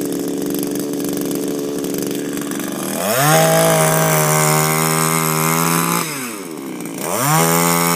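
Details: Refurbished Shindaiwa power broom with new carburetor, gaskets and recoil, no air filter fitted: two-stroke idles, then revs up cleanly twice, pitch rising and falling smoothly without stumbling. Healthy running after the rebuild.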